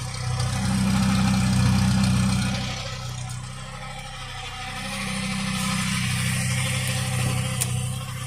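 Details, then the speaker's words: Peugeot 205 1.4 petrol, laid up since July with a gearbox issue, hard start: rough idle with a steady low drone and a fast regular rumble pulsing underneath; worn transfer gear spline noise. "Knackered transfer gear spline, that's the noise."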